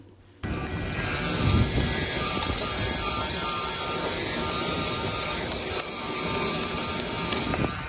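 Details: Permobil F3 power wheelchair drive motor clip recorded before repair, making horrendous noises under load: motor whir with rapid, uneven clicking as the brushes chatter; cleaning the dirty brush housings fixed it.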